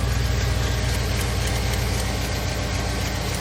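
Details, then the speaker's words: 1997 Lexus LX450 with 5.3 LS swap and 6L80, idling after coolant sensor reconnected and fans off: low steady V8 idle, even rumble, no belt squeal or chirp; belt not riding up the crank pulley, accessory drive healthy. "everything looks pretty happy it's not trying to ride anything yeah I'm pretty good I'm pretty happy with that"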